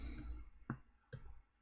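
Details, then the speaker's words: Apple HomePod with death-fart symptoms waking up: sharp pop over a low hum, estimated about 400–500 mV DC offset on the woofer; suspected failed filtering capacitors, not confirmed. "oh yeah that's a fair little pop there sounds like about four to five hundred millivolts right now"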